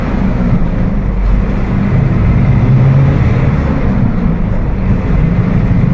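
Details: Mercedes-Benz OF 1721 BlueTec 5 diesel bus (Apache Vip IV) cruising: deep steady hum at one low pitch under diesel and road rumble, rear axle differential droning.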